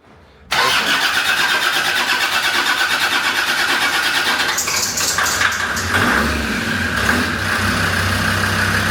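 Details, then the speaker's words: Land Rover Defender Td5 110 with a GTB450 turbo, first start on the dyno after fitting reconditioned injectors: cranks and catches, then a harsh clattery knock with smoke. Caused by diesel dropped into the cylinders when the original injectors were removed. "So first start these. Obviously, where we pulled the original injectors out, you do end up dropping a bit of diesel down inside the cylinders. Um, hence the smoke uh the knocking on start."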